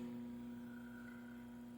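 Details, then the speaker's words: Electric fan after its shafting rod, bushing, stator and spacers were replaced: a steady, quiet motor hum with a clean low tone, the earlier noise and rattling gone. "pansin natin umiikot na yung shafting Rod at saka wala na po tayong masyadong marinig na maingay na tunog kagaya nung kanina So ibig sabihin Okay na ito"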